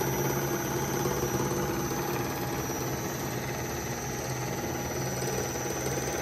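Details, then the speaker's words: Old three-phase 3 hp motor, cleaned and rebuilt, on a frequency drive fed 240 V single phase, ramping toward 60 Hz (around 40 Hz): a steady hum with rough buzzing vibration. The rotor is slightly unbalanced from its fins, and one bearing sounded rough. "a little out of balance because of those little fins in there"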